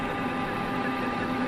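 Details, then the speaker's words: Manual lathe parting cut in steel with cutting fluid, after spindle speed was reduced from 460 toward 300–400 RPM: even, steady hum with no rattling chatter from the tool. "you hear that chatter reduce the speed and let's try it again the chatter went away"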